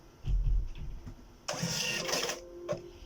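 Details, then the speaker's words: Birch CPQ3 receipt printer after cutter repair and reassembly: steady buzzing feed for about a second, then a quick crisp snip with no grinding or stalling; prints and cuts properly. "Okay, a second one and a third. Okay, there you have it. Neat and clean cut."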